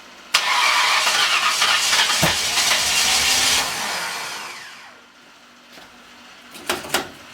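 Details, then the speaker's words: Freshly installed 302 engine with new cam, on a charged battery: starter spins hard about three seconds, winds down without catching; owner suspects ignition timing off, possibly 180 degrees out. "Well, it's on fire. It's either off or I'm 180 off."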